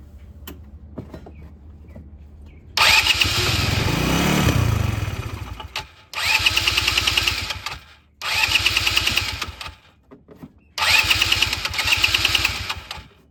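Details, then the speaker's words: Neglected 2010 Polaris Ranger RZR 170 after sitting for years, newly installed aftermarket fuel pump: four cranking bursts, starter churns evenly but engine never catches, sounds like no fuel; fuel system not yet primed, later started after extended cranking. "honestly I'm going to pour a little bit more gas in it cuz it's still sounds like there's nothing in there"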